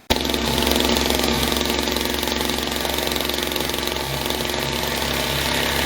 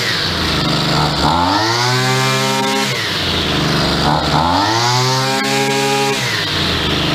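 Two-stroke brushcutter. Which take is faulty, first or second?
first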